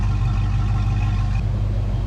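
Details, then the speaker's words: Foxbody Mustang 5.0 V8 with a low steady rumble around 1000 rpm, even, with no hunting or surging. This is after fixing the dirty EGR valve, which the owner guesses caused the long-standing rough idle and surging. "so far so good no surges [Music] the idle sounds so much better"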